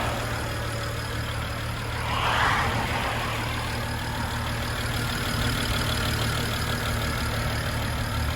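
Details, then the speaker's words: BMW 135i convertible, 3.0 L six-cylinder petrol, at idle with a faint quick ticking and a slight belt noise; owner unsure if the tick is injectors, bottom end or something else. "Il y a un petit cliquetis et puis on entend les courroies un tout petit peu, mais c'est pas non plus flagrant."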